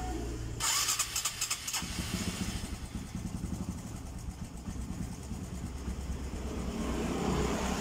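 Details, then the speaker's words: Honda Supra 125 (older fuel-injected) with stumbling, hard-to-hold idle: idle sits low and uneven, hunting. Scanner shows normal intake air temperature and large injector duration, but engine speed stays too low; owner suspects a weak fuel pump. "nah idolanya semprotannya diangkat tiga tapi otot untuk putaran mesinnya ini terlalu rendah Jadi eh saya definisikan injektor Kalau menurut saya yang pertama bisa dari pulpennya lemah itu yang menyebabk"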